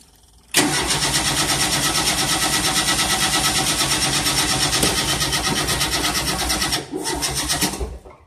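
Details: 1988 Tennant 255 Series 2 cranking: starter spins the engine with a rapid, even chug, about three per second for seven seconds, but it never catches. Crank, no start; cause not yet found.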